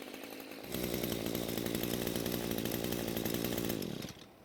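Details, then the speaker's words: Echo string trimmer after a carb rebuild and after turning the top fuel adjustment screw half a turn counterclockwise. A crisp, steady high two-stroke buzz holds at full throttle with no bogging or surging. The mixture is now correct. "so after the adjustment it's now a whole lot better and it even runs well at full speed"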